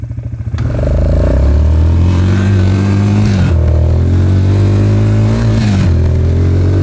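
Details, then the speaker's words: Suzuki Ozark LTF-250 250cc single-cylinder ATV, cold day, after spark arrestor, plug, oil change, fuel tank and pickup clean, carb reinstall and tuning for bogging under load: it now revs cleanly and pulls hard through the gears with a crisp, even exhaust note. "Oh, she's got that get up AND GO AGAIN, BABY. WOO. OH, she sounds good. Yeah, I'd say she's good."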